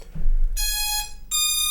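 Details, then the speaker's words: DeeRC DE22 Pro drone at power-on: two clean high-pitched beeps of about half a second each, the normal startup chime before bonding with the transmitter. "going to make that typical beep sound now go here to your transmitter and press the power key and once it has bonded you're going to hear the transmitter beeping and it says now gps mode"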